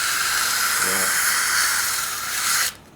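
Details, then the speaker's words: 1957 Westinghouse MobileAire stand fan on low, previously serviced: soft steady airy hiss with no rattle, hum or scraping, then cuts off cleanly; quiet motor, normal fan running. "So, yeah, somebody did a really nice job of servicing this before. That is a quiet motor."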